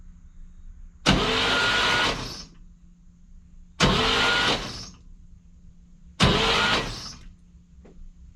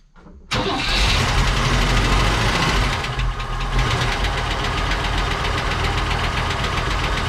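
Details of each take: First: 1959 Cadillac project, stored 11 years, cranked on a borrowed battery with the fuel line and coil disconnected: three short bursts of even, steady cranking with no catch; turns over nicely, free and easy, not firing. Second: 1959 Cadillac project car, unstarted for 11 years, run after cleaning points and checking plugs: loose, uneven idle with fast light top-end ticking; noisy lifters or sticking valves suspected, not confirmed.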